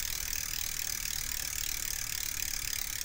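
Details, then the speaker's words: Team Fuji road bicycle, drivetrain after the rear derailleur was cleaned and the cable tension screw adjusted to cure a loud cricket-like squeak: light, even, fast chain and freewheel ticking, with no squeak or rub. "and then we use this little screw to tighten the tension much smoother right all right so I think we solved that by cleaning the rear derailleur"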